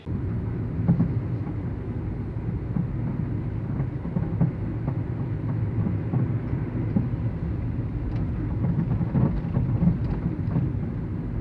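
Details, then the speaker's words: Citroën C3 front suspension: irregular dull knocks over road rumble while driving, from a worn sway bar end link; car doesn't pull to either side, but it feels like a loose part. "bom como vocês ouviram o barulho é é ele é bem incômodo é e tipo quando você está dirigindo aparentemente não não puxa de nenhum dos lados do carro mas você sente que existe alguma peça solta né"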